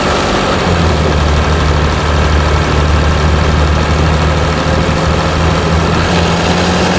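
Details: Mercedes E320 CDI S211, 3.2 V6 diesel 224hp, 250,000 km, DPF and catalyst removed, just after cold start after a week, slight smoke; deep steady idle with slightly uneven low throb; rough cold idle, cause not identified.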